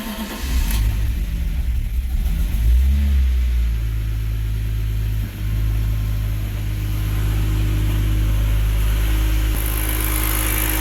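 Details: BMW E46 with bottom-mount turbo build, first start after ECU tune and adaptation reset: cranks, catches and settles into steady idle with a couple of blips, no misses or rough shaking; healthy start.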